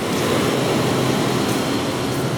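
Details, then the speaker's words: 1996 Lincoln Town Car: AC compressor fed directly from battery positive by a jumper runs with a steady, even whir and no knocks or rattles. The compressor works, so the fault lies upstream in the HVAC head unit. "so if I were to go out and touch my jumper back the battery positive turn the compressor on which it's now running"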